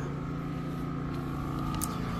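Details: Champion 4500 dual-fuel inverter generator on propane, about 2.6 hours run, 122 V 60 Hz, hooked to the RV's 30-amp input before the AC is switched on: smooth, steady hum with a constant tone, no surging or stumbling, idling evenly with no load.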